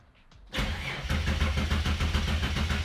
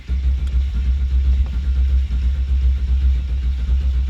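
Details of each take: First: Ford Fairlane turbo build on Haltech ECU, injectors disconnected: starter engages then cranks sluggishly at about three to four chugs a second, only about 200 rpm versus 300 wanted; slow cranking from a roughly 30-year-old worn starter motor. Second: Turbo Ford Fairlane build with Haltech ECU, no fuel reaching the line earlier; after repairs the starter cranks evenly and strongly without grinding, quieter, with much better battery voltage; normal healthy cranking.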